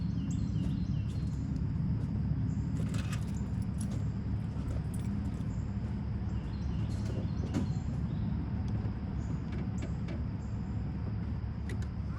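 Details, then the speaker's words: 1996 Ford F-250 7.3L diesel, completely cold after sitting overnight, started after the burned, stuck-closed glow plug relay was dealt with. Steady, even low diesel rumble with light clicks in the background; starts and runs smoothly. "Again, the engine's completely cold after sitting last night, so we'll fire it up and let it run for a second."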